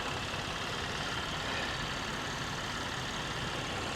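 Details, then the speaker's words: Petrol V6 idling under open hood at salvage auction: steady even idle with no ticking or knocking; seems half decent, normal idle. "But this one seems to be half decent. I don't hear it really ticking or anything."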